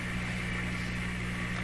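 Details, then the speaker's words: Grundig 2030 AM/FM tube radio at about 112 volts, AM broadcast band: loud, steady low mains hum with even overtones that never wavers, quite a hum not noticed before, cause still unknown. "Now it's going down. Okay, I hear a hum."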